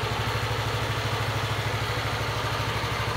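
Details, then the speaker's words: Motorcycle started after its weak maintenance-free battery was recharged for half an hour from a car socket. Even, quick low putter with no stumbles, and the LCD does not flicker while cranking. Clean idle. "Sekarang dicoba starter lagi, dan ini berhasil dan layar LCD-nya itu tanpa kedip sama sekali ya."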